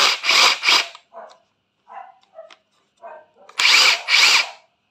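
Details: Used Hitachi 18V brushless cordless rotary hammer with four modes: short trigger bursts of a high, even whir with no grinding or rattle between pulls. It runs healthy.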